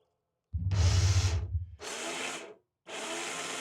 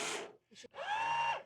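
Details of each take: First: Rieco-Titan electric truck camper jack motor runs in short bursts with a loud coarse rumble and rattle, much noisier than a good jack; head assembly removed for diagnosis, replacement needed. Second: Rieco Titan truck camper jack, the good jack: brief smooth electric motor whine at a steady pitch with no grinding, compared with a noisy jack whose motor head needs replacing.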